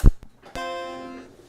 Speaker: Yep. There's sound. All right. This board's in better shape.